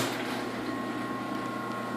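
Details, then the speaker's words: Chamberlain Whisper Drive garage door openers on square rail, after fixing squeal, two running at once: soft even hum with faint steady high tones, no squeal or knocking; normal running. "very quiet even when both of them are running at the same time"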